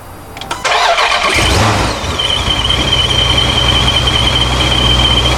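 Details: 426 ProCharged (supercharged) Dodge Charger Scat Pack after a boost leak fix: cranks and catches quickly, then settles to a steady idle with a clean, constant supercharger whine; healthy start and idle.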